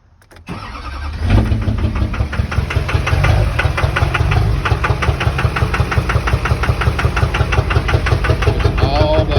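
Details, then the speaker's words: 2003 Duramax LB7 6.6 L diesel pickup, about 308,000 miles, cranking, starting and idling with a loud steady knock about three beats a second after black smoke while driving; cause unknown, possibly rod knock or stuck-open injector 4 or 6. "ute um and it stopped at a stoplight and i heard a knock not sure what it might be a lot of people are saying either rod knock or injectors 4 or 6 are stuck open"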